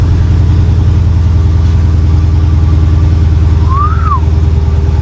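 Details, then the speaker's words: 2021 Dodge Charger Hellcat Redeye, supercharged SRT V8 with dual exhaust, 9,945 miles, no engine lights, at Copart: deep, even idle rumble, steady firing beat, not obnoxiously loud, no knocks or ticks; healthy. "That's not like obnoxiously loud, but it's got that deep rumble on it. Very nice."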